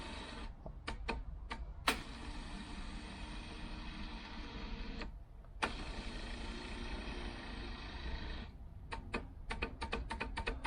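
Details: 1990 Range Rover 3.9 LHD electric driver seat, powered directly with a power probe: a small motor whirs in even runs of a few seconds, starting and stopping with light clicks; the seat motor works normally.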